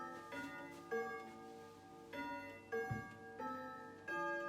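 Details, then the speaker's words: Grandfather clock near 12 o'clock: soft ticking under clear bell notes coming about every half second to one second as it chimes. The clock is striking normally with no dragging or rattle. "Come a bit closer so you can hear it ticking, because you see it's almost 12 o'clock. And then you must listen for a whirring sound, and then you've got to listen to the chiming and the striking."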